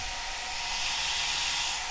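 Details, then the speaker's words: Cascade DS-925 hair dryer on high after repairing a no-heat fault. Steady rushing airflow with high fan hiss, temperature reading rising 67–75; running normally. "sixty seven seventy seventy-five here seems like it's working"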